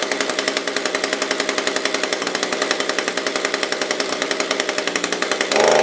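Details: SRM-210 small two-stroke after carb kit replacement, new spark plug and oil down the cylinder, primed, first pull: catches and buzzes with quick, even firing pops and a bright rasp, then settles; running normally.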